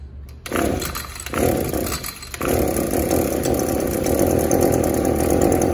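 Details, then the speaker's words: Echo SRM-280 trimmer on the bench will not rev up; spark arrester screen checked good, carburetor seems okay, customer fitted a new plug. Engine fires in rough surges, never reaching a clean high rev: clogged catalytic converter/muffler, cleaned as the fix. "today we have an srm 280 on the bench and it will not rev up you've already checked the spark arrester screen it's good to go"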